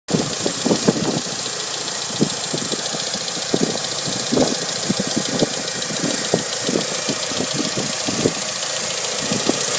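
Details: Mitsubishi Evo 5 engine at idle, 15W40 oil: light irregular ticking, sharp clicks several times a second, very loud when cold; engine tick, cause unknown.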